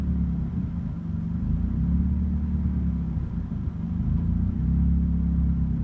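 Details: Turbocharged Mazda Miata running Megasquirt engine management at idle; low, lumpy rumble swelling and sagging every second or so; rough idle, cause not evident.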